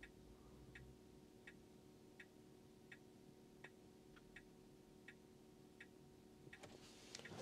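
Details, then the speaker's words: Tesla Model 3 LFP, inside the cabin, brake held and right indicator held to unlock the Gateway for a service-mode battery health test: crisp, even ticks about 80 a minute over faint cabin hum; normal indicator ticking. "so we've got to put a foot on the brake and then hold the indicator to the right"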